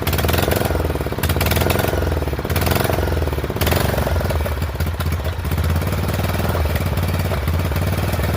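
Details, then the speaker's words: Poulan 12538 XT riding mower, 12.5 hp single-cylinder, 38-inch deck, hard starting, hot: uneven lumpy chugging, loud irregular beats, wavering speed; owner suspects intake and exhaust valves not set right, plans to readjust when cool; rough running. "I think we're going to have to adjust those valves. So, I'm going to let it cool down for a little bit and then we'll have to readjust those valves on there cuz they're probably not set right."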